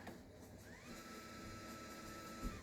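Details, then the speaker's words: Celestron NexStar 4SE mount after being stripped down and reassembled, run on 12 V 2 A supply, moving left-right and up-down: faint motor whine rising to steady even pitch then winding down; quiet normal operation. "Um everything's running smoothly. I've actually used this telescope a few times outside and it's been running really nicely and everything's quiet."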